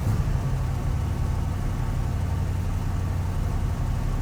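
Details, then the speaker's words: Carbureted engine, cold start: much smoke, low steady rumble at fast even choke idle, no misses or knocks; choke working, runs fine. "a lot of smoke on Startup choke seems to be working good I'm happy with that"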